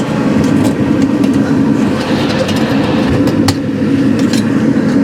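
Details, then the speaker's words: 2017 Central Boiler Classic Edge 550 outdoor wood boiler, newly replaced combustion (draft) blower, mic held up to the fan: even, steady airflow with a low hum underneath and no rattle or knock; very quiet compared with the old rickety blower. "So as you can hear, the blower is now very, very quiet compared to the rickety sound it was making before."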